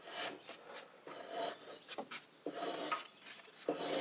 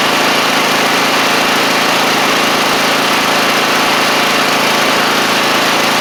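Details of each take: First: Troy-Bilt TB42 rider, Powermore 541cc engine, turned slowly by hand: soft airy hisses with each rasping compression push, air escaping past a leaking head gasket; oil dark and low. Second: Troy-Bilt TB42 lawn tractor, 541cc Powermore engine, after fitting a new carburetor of the original type; steady, even engine note without knocks, misses or surging; normal running after repair.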